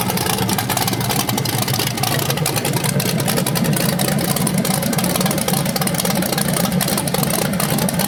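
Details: BluePrint 396 big-block crate engine for a 1970 Camaro SS, first run after oil priming and a timing check: strong, even rumble with a light valvetrain tick and no knocks or misses. It sounds healthy, though the owner notes the flywheel or headers sound different revving.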